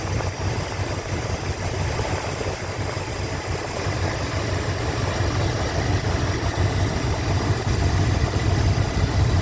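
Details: 1987 Chrysler Fifth Avenue V8 after new lifters and manifold gaskets: deep even idle rumble, previous lifter tick gone from the top of the engine.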